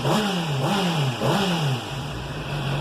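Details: 2007 Honda CBR 600RR at 17,400 km, warm at 91° after an oil change: three quick throttle blips, then a steady, even idle with no chain rattle. The earlier noise was diagnosed as the cam chain tensor, and the owner expects it may return.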